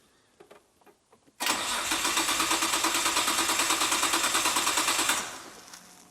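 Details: Nissan R32 GT-R, a very rough JDM auction car at the start of a restoration: even starter cranking, about three pulses a second for roughly four seconds, then it stops without catching; a relay clicks and the fuel gauge doesn't work; compression, spark and fuel checks planned.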